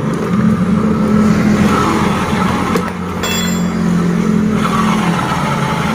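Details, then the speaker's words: 2020-2021 Honda Beat DX scooter CVT, rear wheel spun after new pulley bearings were fitted to cure a harsh srok-srok noise: steady, even low hum with no grinding, rattle or knocking. "Sudah halus ya teman-teman."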